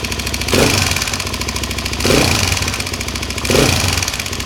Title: ticking noise in head ltz 400